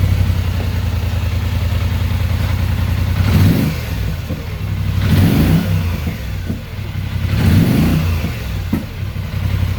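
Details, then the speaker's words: 2021 Polaris Sportsman 850 EFI with a zip tie placed between the throttle housing contacts: engine idles roughly, then backfires with sharp pops and crackles on three rev blips; no check engine code at idle positions. "hear that backfiring sucks i believe that could end up being no it actually didn't quite have it with that in there"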